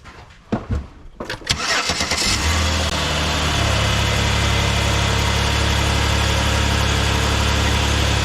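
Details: 2011 Chevy Impala 3500 engine started after replacing a rusted-out factory clamp on the leaking bottom coolant hose: a few quick starter turns, then it catches cleanly and settles into a smooth, steady idle with no knocks or misses.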